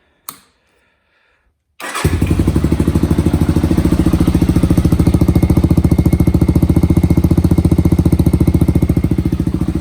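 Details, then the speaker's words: 1985 Honda 250 single, warmed up after a ride round the yard: one cough, pause, then steady even thump about 3.5 beats a second; runs well, smokes only for 30 seconds on cold startup, suspected worn valve seals. "so you can see runs really good I only issue I'm really having his on startup for about 30 seconds it'll smoke and it's not doing it now because it's warm"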